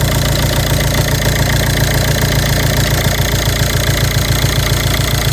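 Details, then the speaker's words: Ford Mondeo 2.0 diesel 136 hp automatic (limp mode, jerking, stalling, hard starting) at idle after a valve's electrical connector was unplugged: steady even diesel idle, and the earlier quacking noise is gone. The valve's rubber membrane is suspected torn. "Дивіться, я не знаю, чи чуєте, пропав квакающий звук. Чуєте? Двигун працює рівненько, але пропало квапання."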